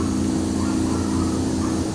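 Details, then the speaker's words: Water-methanol injection on turbo S10 Dart race engine, pump triggered by boost-reference switch at about 7.5 psi via shop air hose: steady low electric pump hum, even, no surging or rattle; running normally. "so what I've got is air hose running to this it says we the PSI here everything runs in and just listen you're here the pump come on at about seven and a half so as I increase it"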